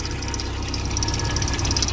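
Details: VW AP petrol engine (Gol/Parati/Saveiro) idling: a fast, light metallic ticking chatter over the low rumble; owner unsure of the cause, thinks it may be the belt, already removed a rubbing cover and fitted a missing nut; attributed to a worn belt tensioner.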